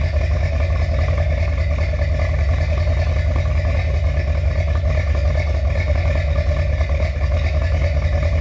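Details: Finished 1977 Corvette C3 with number-matching steel-crank 4-bolt-main 350 V8 after a two-year restoration: deep, steady idle with even lumpy burble through dual exhausts, no knocks or misses; healthy.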